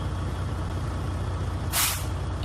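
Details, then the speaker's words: Used truck tractor diesel idling during pre-purchase inspection, air pressure building: steady idle, then a sharp quarter-second air hiss as the air dryer purges at cut-out, showing the air system working; normal air dryer purge. "right that's the bisharp or the dryer that means and the air system is working with no problems"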